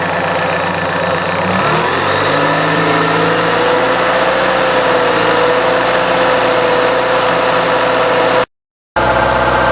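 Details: 1998 Fiat Cinquecento cold idle after radiator replacement, waiting for thermostat to open, heater on with fan: steady, even idle with smooth low hum and heater fan whirring, no knocks or misses; healthy.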